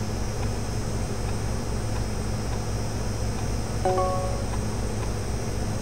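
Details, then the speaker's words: USB 3.5-inch floppy drive reading a 1.44 MB disk during data recovery: soft, regular ticking of the head stepping over a faint motor hum; the drive is reading the disk normally. "if you can hear it clicking that's what it means it's doing it's actually reading the disk"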